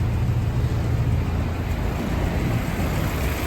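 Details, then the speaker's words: 1942 Willys MB four-cylinder after an engine service with fresh oil, before a test drive. Oil pressure and temperature are good. Smooth, even low rumble over a steady tick with no knocks, misses or rattles; normal running. "running good temperature what you reckon reckon sounds good good"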